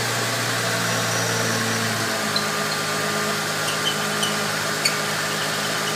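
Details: Ford 3.8L Mustang V6 (same 12-valve design as 3.0L Vulcan and 4.0L) idling with a rough, gritty high chirp from the front, mistakable for a dry belt chirp but caused by a worn cam synchronizer bushing.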